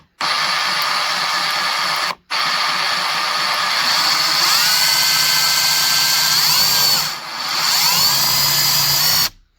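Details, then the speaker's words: Ryobi brushless Sawzall after teardown and regreasing the drive, previously not working, possibly from moisture held by the rubber cover: smooth high whine in bursts, instant stop on release, no grinding; runs quieter and better than new. "Thing cranks, don't it? Yeah. Really moves, so. This works better than when I got it brand new."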